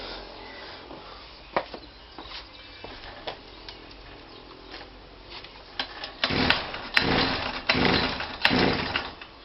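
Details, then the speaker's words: Kawasaki KBH43A strimmer after sitting a year, only ran on choke, old fuel filter temporarily fitted: several pulls then short uneven revving bursts that rise and drop away; struggles to keep running, fuel starvation suspected, fuel cap also suspect. "So I put a plug in it and I put it to run, and it would only run on choke."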